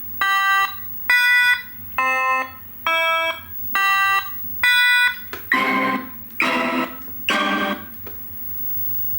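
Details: Konami X-Men arcade PCB after recapping leaking audio capacitors to fix low audio, during sound test: loud, clean tones about once a second, then fuller effects, with no distortion or dropouts. Audio output is now normal.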